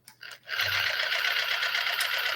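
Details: Traxxas TRX-4 limited edition RC crawler, about three years old, newly fitted metal gearbox rebuilt with grease and thread-locked screws: steady high motor whine over gritty gear hum, smooth and grunty; normal gearbox operation.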